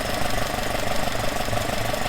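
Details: Alfa Romeo 105 GTV with twin 40 mm Dellorto DHLA carburettors, baseline idle before balancing: warm, steady idle with an even pulse and no hunting or misfire; synchrometer shows left carb 3.5–4 kg/h, right 4 kg/h, fairly well balanced.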